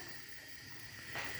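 A soft, steady hiss with no popping or flutter, just an even gas flame burning cleanly on the hob.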